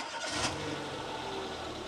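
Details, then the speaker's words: Renault Clio after fixing a starting fault caused by a bad earth to the starter motor: brief crank catches straight away and settles into an even, steady idle; normal clean start. "the little Renault Cleo is well, as you can hear, it's ticking over nicely in the background. We've fixed the starting issue."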